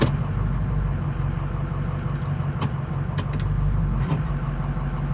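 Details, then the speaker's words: 2006 Ford F-250 driven through the driveway on a cold day after warm-up: a few sharp clunks and creaks over bumps under a steady low engine rumble, from worn cab mount bushings, which were replaced with Energy Suspension bushings. "Going through the driveway. You hear a little bit in the creaking. I'll really show y'all here in a second. But it's pretty annoying, if we're being honest."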